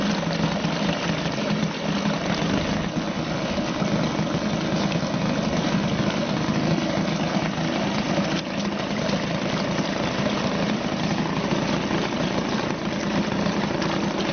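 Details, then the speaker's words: Suzuki DT 2.2 hp outboard, serviced yearly, in test tank after choke turned down while warming up: steady, even tick-over with smooth unbroken buzz, no misses or knocks; idling healthily. "Just turn down the choke and it should go nicely into tick over. And there we go. Just let it warm up a little bit, and that will tick over quite nicely now."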